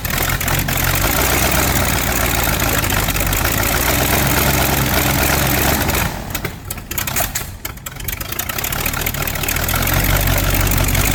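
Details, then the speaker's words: V8 Chevy in a Curtiss P6E replica biplane, unrun for 22 years, started with starting fluid after fine adjustments. A loud, rough rumble that dips briefly on a throttle blip, then comes back strong; it is running. "Yeah. Woohoo! >> America! Fire breathing, spitten V8."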